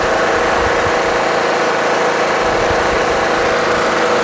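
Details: Toro Wheel Horse 1238XL lawn tractor after carburetor replacement, restarted by jumping the busted solenoid: steady even idle, constant mid-pitched drone, no misses, knocks or surging; charging battery at 13 volts and rising.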